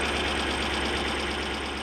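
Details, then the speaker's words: Toyota 1UZ-FE V8 in a Surf/4Runner after repair of a half-engine misfire: smooth, even idle with a steady low pulse, no miss, all cylinders firing; normal idle. "It sounds so much healthier now, doesn't it? All cylinders. Yeah. All cylinders, it's great."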